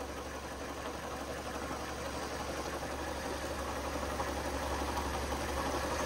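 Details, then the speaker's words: Ford KA gearbox with failed gear (stuck in first) and slipping clutch: engine idling with a gravelly, rough rumble that slowly grows louder, pointing to worn gearbox bearings and shaft play; gearbox and clutch to be replaced. "God can you hear it that's why we got to change the gearbox and the clutch"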